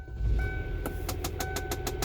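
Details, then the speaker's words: 2009 Kia Borrego LX 3.8L idling: quick regular clicking, about six or seven per second, from under the dashboard, began after a fuel pump and filter replacement; one vent blows cold, blend door suspected, not confirmed. "it started making a clicking noise once i started back up after i replaced them and i'll let you hear it"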